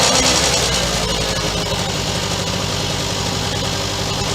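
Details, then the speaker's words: 1965 Suzuki K11 two-stroke with a newly fitted cheap Chinese carb made for a Honda 90, left running a few minutes: busy, crackly putter holding a steady beat around four a second, no misfires; runs evenly. "I'll let it run for a few minutes. I think I'll take it for a ride tomorrow. Maybe."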